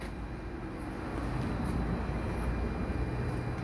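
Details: Flotec water pump on 110 V that only hummed and wouldn't start, after replacing the faulty capacitor: steady, even motor hum with a low rumble, no straining or stalling; pump now starts and runs normally.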